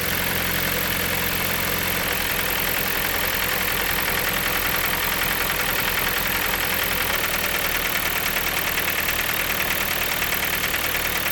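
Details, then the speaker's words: Project car bought as a $500 Marketplace find, after oil change, new coil pack and spark plugs: loud, uneven, harsh running with fast irregular knocking, cause unclear; still sounds horrible, replacement engine being sourced. "Okay, so the oil change is done, coil pack's done, spark plugs are done. It still sounds horrible."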